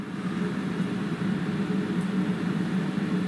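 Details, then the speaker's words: DIY waste-oil workshop burner (steel water tank body, boiler fan, 12 V diaphragm pump) warming up: steady, even low roar with fan hum, no pulsing or popping; normal burner roar. "know if you can hear it starting to roar. But it should be just about hot enough to start pumping oil."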